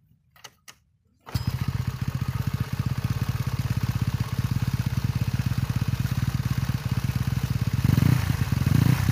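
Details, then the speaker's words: Small motorcycle after fitting used LPG-cylinder rubber seal at the crankshaft pulley to cure a ticking rattle when revved: fires up and holds a steady even beat, revs cleanly, rattle gone. "Nah sekarang digas udah enggak ya Jadi pakai hanya pakai apa Karet bekas tabung gas bisa juga juga ya"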